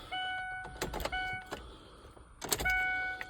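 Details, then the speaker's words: 2001 Ford Ranger parked six months with a suspected blown head gasket. Key-on cycles give a relay click and a short electric hum as the fuel pump primes normally, but the battery is too weak to crank. "fuel pump is primed and then okay know we didn't have enough juice to crank"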